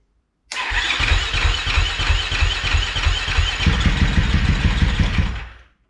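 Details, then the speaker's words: 2013 KTM SX-F 450 first start after hookup: engine catches and thumps unevenly for about five seconds, then cuts out; it repeatedly started then died because the tip-over sensor was mounted upside down, killing ignition. "so it would start and then just die out of nowhere for no reason"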